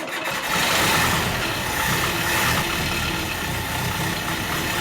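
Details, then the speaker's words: Series 3 Land Rover starting on a brand-new cheap knock-off carburettor after tuning, smoking heavily: fires up and idles unevenly, lumpy and wavering beat; rough rich running from a faulty carburettor. "camera doesn't really pick it up but she's smoking like an oil fire i mentioned that this is a brand new carburetor and it is but these cheap knock-off carbs don't exactly have a good reputation"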